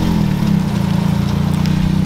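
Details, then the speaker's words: Custom Ford Focus, sat two years, idles steadily and evenly with no knocks or misses after a no-crank fault traced to the clutch pedal switch, bypassed by pressing it by hand; miscellaneous front rattles noted. "push the button and it cranked so now it's running that's good"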